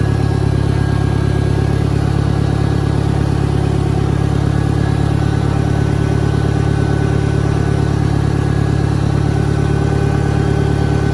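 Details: 1963 John Deere 1010, original and properly maintained, 1,000 rpm, first gear on a backyard lap, needs valve seals; steady, even drone at low revs with only a faint gear hum. Normal transmission noise.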